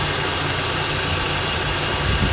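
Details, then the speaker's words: Mazda RX-8 R3, 131k miles, hot engine, after refitting the stock intake: starts much better and idles smoothly with a steady buzz, no ticking, hunting or surging; the earlier noise is gone. "mmm it starts a much better now"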